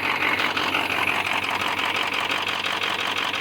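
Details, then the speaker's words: Diesel idling warm with thermostat open, heard from the passenger side; steady even light clatter, no knocks or misses; normal idle. "It just sounds like regular idling."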